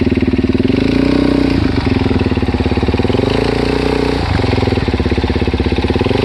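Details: Suzuki DR-Z400S single at idle after replacing cam chain and cam chain guides: steady fast light tick on every firing pulse; top-end ticking, source not pinned down.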